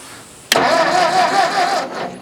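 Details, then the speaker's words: Old Ford tractor, possibly an 8N: short starter whir about a second and a half that never catches; points sparking but not opening; cranks, won't start. "Yeah, they're sparking now, but it's not opening."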